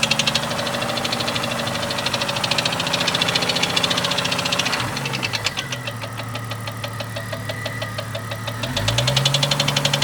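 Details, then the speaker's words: 1998 Jeep Cherokee XJ 4.0L at idle after head removal and lifter replacement, noise appeared overnight: sharp regular tick about three per second following engine speed, located in the top end; owner says not rod knock or piston slap, cause unknown. "this is what I'm hearing sounds like it's in this area of the [Music] [Music] motor"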